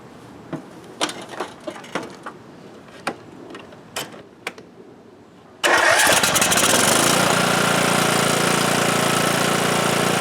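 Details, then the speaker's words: Cub Cadet lawn tractor, single-cylinder Kohler Courage engine, that had stalled after 30 seconds; after new fuel lines, filter and fresh gas: a few clicks, then a steady even beat with no stumbling; normal running, blockage was tank-side of filter. "Right congratulations I think that did it it's interesting because our blockage was on the tank side before you get to the uh fuel filter"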